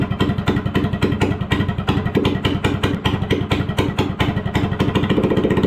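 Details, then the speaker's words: Go-kart engine running without muffler: unmuffled single popping fast and uneven at idle, sputtery and wet-sounding, maybe rich; suspected, not confirmed. "That sounded kind of wet. Let's work on getting that muffler attached."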